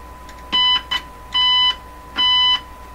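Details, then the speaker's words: Crosley 12B tube radio probed at the 6SQ7 stage with a signal tracer, attenuator off: short, harsh, buzzy tone bursts with a gritty edge instead of a clean note; signal tracer overloaded and distorting. "Something's a little on the overloaded side here. Okay, so I think it was my signal tracer."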